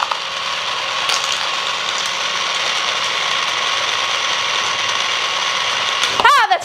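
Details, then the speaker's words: Used, returned chocolate melter/fountain on first switch-on: harsh, gritty whir with a faint irregular ratchety edge, steady throughout as the small drive motor runs loud and rough; cause unknown, later found not to work. "Oh shoot, it's making noise. Why is it spinning so aggressively?"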